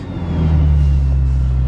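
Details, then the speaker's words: Car not started since April has a cold start in December snow after its coil wire is reconnected. It catches at once and settles into a smooth, deep, even rumble with no stumbling: normal cold start. "It starts in the snow. Cool."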